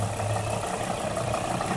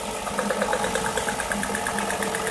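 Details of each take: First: 2005 Nissan Murano with a misfire but no check engine light. Disabling the injectors one by one with a scanner, injector 4 gives no change in engine sound. A low idle with an uneven chuff points to cylinder 4, whose ignition coil showed no spark. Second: 2005 Nissan Murano with a misfire and no fault code, restarted after replacing the faulty cylinder's ignition coil, found by disabling injectors one by one with a scanner: steady even idle, no stumble, cylinder now working; normal idle.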